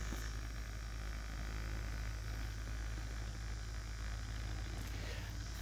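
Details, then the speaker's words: First run of a finished 3D-printed maglev rotor on ball bearings with large rings: steady, even low hum without knocking or scraping; one side has slight flutter, but it runs smoothly and normally. "this side has a little bit of flutter in it but not too much not too bad not even really that bad at all but listen to that hum"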